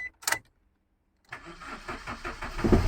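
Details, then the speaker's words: Maruti car after faulty ECM replaced and both keys programmed to immobilizer; key click, pause, short crank, then fires cleanly and settles into steady idle, starting with both keys: normal start. "So இதுவும் start ஆகிடுச்சு. 2 கீயுமே பக்காவாக start ஆகிடுச்சு."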